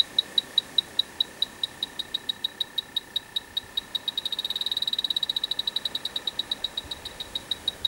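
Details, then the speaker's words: Dry air generator that lost its refrigerant, electronic leak detector in manual mode at the evaporator coil: sharp high beeps at about five a second speed up to a rapid run, then ease off. Refrigerant leak at the evaporator coil. "Let's go into manual mode. Around the other side. It is going off in the roughly the same place, both sides."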